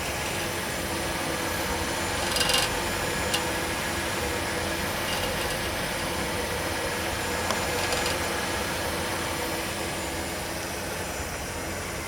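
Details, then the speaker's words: Engine running with a fast, loose metallic "rickety rackety" rattle over the exhaust note, traced to a broken-loose bracket at the tailpipe bend near the muffler, later repaired with J-B Weld high-heat epoxy; exhaust bracket rattle. "Okay, I found the problem. I got a bracket right in front right there, and this got it's done come loose. I don't know if you can see it right there. It's right in the back, and it's making that rickety rackety sound that you hear."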